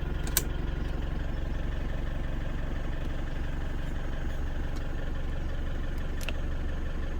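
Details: Hobby 750 motorhome with 11,000 miles, not run for 7 years: even, settled diesel idle with a regular low beat around four per second and no clicks or knocks; normal idle.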